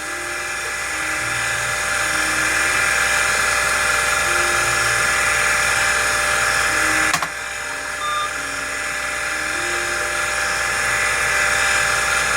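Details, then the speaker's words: Original Convergent AWS CM5616 MFM hard drive (256 cylinders, 6 heads) booting CTOS: loud steady high-pitched whine with several sustained tones and a faint repeating tick; worn-sounding, so it needs imaging soon. "what this means is the architecture of this drive is completely unknown and we need to image it soon before that goes that bad because that sounds awful"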